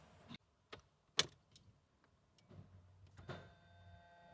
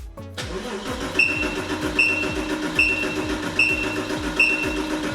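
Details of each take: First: Porsche 986 Boxster S, 48,000 miles, sat in a barn 3.5 years, fuel pump just refitted: key and switch clicks, then low even hum with faint whine as the pump primes normally. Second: Porsche 986 Boxster S, about 48,000 miles, barn-stored 3.5 years, gauge on the fuel rail expecting 3–3.5 bar: even cranking for about six seconds with steady compression beats but no firing; zero fuel pressure, pump not delivering.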